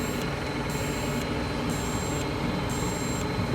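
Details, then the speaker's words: Cummins diesel troubleshooting fault codes 4658, 5868 and 3568, DEF doser test into a container: a faint hiss cycles about once a second over a low diesel idle. It dosed about 100 ml in 3 min 20 s, which is normal. "can see it is dosing. It looks like it's dosing well. You hear it running, and it's filling up our container here."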